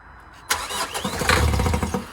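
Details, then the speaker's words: 2014 Vauxhall Vivaro 1.6 CDTI diesel non-runner with new diesel pipes and rail: cranks, fires briefly with uneven pulses, then cuts out instantly; suspected not getting fuel. "so it fires straight up and instantly it cuts out it's just just stops just like that"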